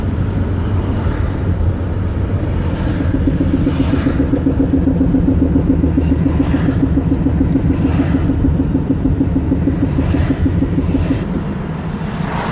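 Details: Car driving with heavy road rumble and occasional dull clunks from the front driver's side, heard near the floor; the cause was broken front and rear half-shafts with ripped boots, worn bushings and no grease, plus a broken control arm.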